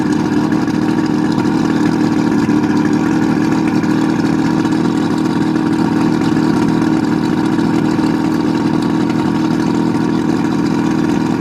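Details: 1971 Marlin boat's Mercury 1350 two-stroke outboard, first start in over 20 years: constant even buzzing drone, no misses, knocks or surging; outboard running healthily, normal running.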